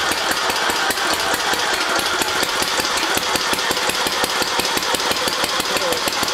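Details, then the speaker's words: Newly rebuilt Briggs and Stratton single-cylinder on a Gilson tractor under restoration, first start after sitting, choked: it runs fast with sharp, even firing clicks. Running well, needs only a little adjustment. "now just turn it off it's running it needs a little adjusting but not bad"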